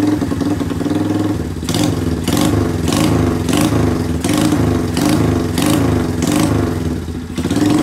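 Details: 1981 Kawasaki Binter Mercy 200cc single, just brought back to life after two-stroke plug fitted and carb cleaning: steady, even putter at idle, no throttle held, no knocks or stumbles. Normal idle.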